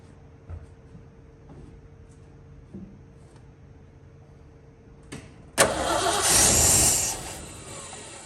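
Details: 1970 Ford Bronco, manual transmission, sat for years, being restarted after engine setup priming: quiet cranking, brief rough catch for about 1.5 seconds then dies; owner suspects it needs more fuel.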